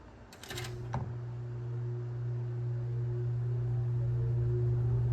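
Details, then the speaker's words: Kmart box fan, startup on low speed: soft click, then steady low motor hum building and settling smoothly as blades come up to speed; normal startup. "I really love the way this thing starts up. It has such a cool sound. Never get that out of any new fan nowadays."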